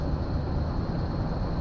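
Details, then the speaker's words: Chevy Nova that sat about 22 years, cranked at length to build oil pressure with a rough-sounding starter: once the oil light goes out, a deep steady rumble with no knocks; smoky. "oil light went out hit the gas crank up no knocks"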